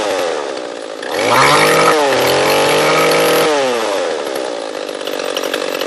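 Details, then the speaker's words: Echo CS-341 chainsaw carburetor tuning: at full throttle the saw climbs to a thin scream, then drops slightly as the high-speed screw is set a little richer. "a tuning barrel and like I said we're gonna go for the high meet twist it out and then in and want to go screaming and then the little richer and then go to the whoa"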